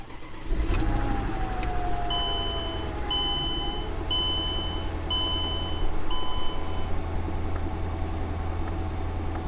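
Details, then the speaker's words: Mercedes E500 V8 at idle after all 16 spark plugs and wires were replaced to fix a misfire; faint uneven stumble persists, slight miss remains; coil packs swapped to see if the code moves from cylinder 3 to 4. "i don't know it kind of sounds like it still has bit of a mess so let's go take her for a ride"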